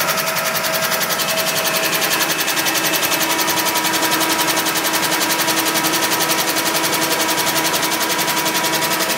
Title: 91 Pontiac Firebird Engine Knocking Sound.mov